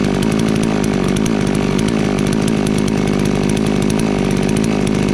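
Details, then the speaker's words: FarmMac F380W 72cc two-stroke chainsaw, 28-inch bar, just after carburetor adjusted under an eighth turn clockwise: steady high-pitched full-throttle scream, clean and even without surging or bogging; running strong, owner wary of running too lean. "wo now she's screaming all it took was about not even an eighth of a turn uh clockwise and boy she opened right up"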